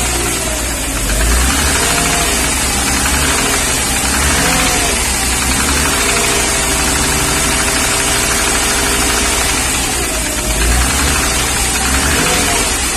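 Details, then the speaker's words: 1994 Mercedes-Benz G320 (Japan import), engine cool at -5 °C, throttle operated by hand: steady light tapping at idle rising with throttle blips; suspected deeper than valve train, like piston knock or wrist pin, cylinder not yet isolated. "And it's here for a noise in the engine. So we're going to listen to this tapping noise."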